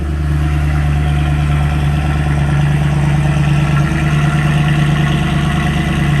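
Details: Mercedes CLK63 AMG V8 cold start: deep, steady burble at a fast, high cold idle, even and smooth with no knocks or misses; healthy cold start.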